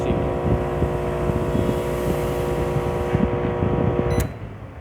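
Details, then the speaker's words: Microwave runs with heavy loud buzzing transformer hum but doesn't heat, no fuse blown, until shutting off with a click; cause is a damaged high-voltage diode, replaced. "as you can hear, there is a loud hum in the Transformer, But it doesn't heat..."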